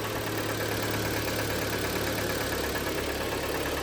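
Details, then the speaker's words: 2012 Hyundai ix35, G4KD engine, 202,000 km, AWD automatic, at idle: dull, uneven clatter over the engine beat; piston slap from scored pistons, at least two badly scuffed. "Так вот, все можете слышать, задиры брякают. Причём, судя по всему, не один поршень там пара как минимум сильно задратый."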